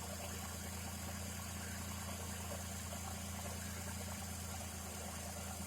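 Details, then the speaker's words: Daihatsu Hijet van after curing overheating (air lock) and fitting a new fan switch, engine hot: steady even idle with constant low hum and airy radiator fan whoosh, no knocks or misses; normal idle with fan running. "all right so there's the uh daiyatsu hija all up and running again keeping itself cool which he wants which is what it should be doing"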